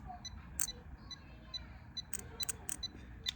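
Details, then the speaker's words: 2010 Jeep Wrangler K3 starter solenoid relay (77 ohms coil) bench-tested by powering pins 85/86: sharp crisp clicks, relay in good shape. Cold-start clicking later traced to a loose negative battery terminal. "and then you guys should see that that part is ticking, it's clicking. Okay, So this tells you that your relay is in good shape."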